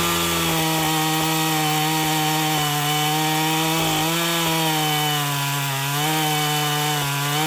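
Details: Husqvarna 450 chainsaw after rebuild and Hipa plug: strong steady high buzz held through the cut with slight dips under load; cutting healthily.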